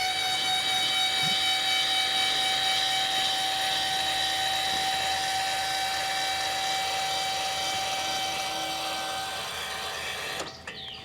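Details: Eco-Worthy solar sun tracker actuator, no panels fitted, timed moving from farthest east back to flat (about 12 seconds) for the storm/wind setting: steady high electric motor whine at even pitch, then stops cleanly; normal travel.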